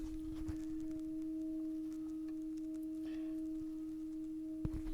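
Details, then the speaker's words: Rotel RP-2500 turntable (1978) with replacement cartridge, test-record tone during alignment, anti-skate off: steady mid-pitch tone with only a faint slow warble; slight wow and flutter from the drive. "and you can see that's a pretty stable that tiny little bit of warble is all the WoW and flutter we're getting"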